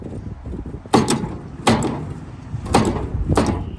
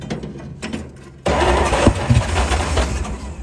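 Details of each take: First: 1938 Dodge truck parked 50+ years, old starter via universal starter switch: four heavy clunks a second apart, no cranking spin; engine seized. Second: 1938 Dodge truck, sat 50+ years, fed from a gas bottle with some grounding plug wires replaced: a few slow cranks, then catches and settles into a steady, slightly lumpy run while given gas. Engine starts and runs.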